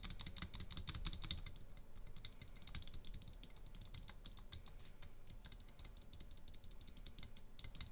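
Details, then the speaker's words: Durock/Everglide spacebar stabilizers, unmodified sliders, on PCB. Sharp key clicks with loose, buzzy clatter on bigger strokes; rattling stabilizer before the slider mod. "plenty of rattle right"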